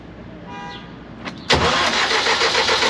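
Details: CAT (Perkins) C4.4 diesel after injector replacement for a crank-no-start caused by excessive fuel bypassing the injectors to return: brief crank, then it catches at once and settles into a steady, even diesel clatter; starts and runs normally.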